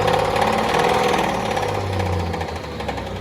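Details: Cummins diesel idling with a rough, uneven knock three to four times a second under the clatter; owner unsure whether flex plate, rod knock or main bearings.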